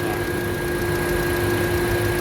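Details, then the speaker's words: 2008 Honda CR-V after a repair for stumbling and shaking traced to the cylinder 2 injector not spraying: the petrol engine now idles smoothly with a steady hum and faint whine, AC checked, no warning light. "นิ่งไม่สั่นแล้วครับผมวิ่งปกติแล้วก็ไฟก็ไม่โชว์แล้วนะครับผมเคปกติเครื่องนิ่งครับผม"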